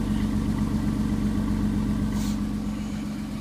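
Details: 1993 Chrysler Town & Country minivan, cold start in freezing weather after one to three weeks sitting: steady idle with a light regular puffing tick about four per second; owner suspects an exhaust leak; running rich.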